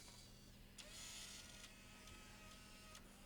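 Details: Bose 3-disc CD changer under repair, just powered on: quiet motor whirring with a few soft mechanical clacks as it cycles through start-up before accepting CDs; initializing normally.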